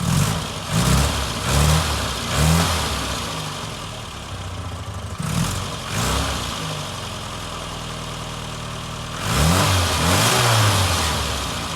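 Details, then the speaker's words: Barn-find Austin Maestro after fuel pump replacement, no fuel leaks, near-freezing weather: the petrol engine catches and revs cleanly in several blips, then settles to a steady idle with no knocks or misses; normal running. "oh that's good I'm happy with that fuel pump replaced and working well"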